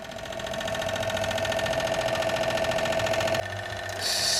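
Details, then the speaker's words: Toshiba SD-2800 DVD/CD player: fast, uneven rattle of three or four knocks a second over the motor whir, stopping and restarting; disc clamp or spindle worn, lower part not rising far enough (suspected). "so I think with the rattling and so on it's doing probably the simple explanation is it something is just plain worn out here"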